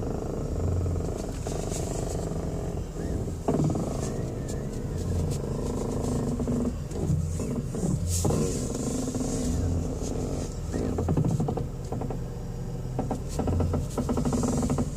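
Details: 2002 Ford Escape, noise that grows louder the longer it's driven: irregular clicking and creaking bursts over a low engine rumble as the steering wheel is turned; owner has been told CV joints or the steering column, cause unconfirmed.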